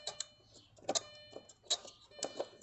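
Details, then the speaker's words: Audi A4 B6 1.8T with crank-no-start after service, code P0688 power supply relay open circuit; relay clicks sharply and irregularly as soon as it's plugged in, which it shouldn't; engine management fuse 29 (20 A) also blowing. "i opened it up really looks good no real problems but i did notice it clicks as soon as i put it in you hear that"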